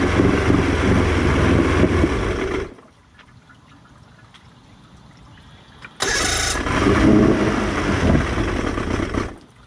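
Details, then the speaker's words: Two-stroke outboard after carb cleaning and 50:1 remix, warmed about 30 seconds at near full throttle: runs rough, cuts out to near silence, restarts raggedly; won't hold idle, slowly dies, primer solenoid works, cause unknown. "When I try and put it back to idle, it just slowly dies and kills. And then I'll crank it again, and it seems like it cranks right up."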